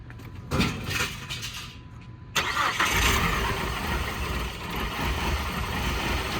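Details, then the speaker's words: 2002 PT Cruiser sitting 9 years, after head replacement, new computer and cam sensor: cranks, stumbles, catches, then uneven lumpy idle with irregular beats; suspected bad gas or misfiring. "We got the car to actually start after 9 years of sitting, and it sounded like that it had bad gas or it was misfiring."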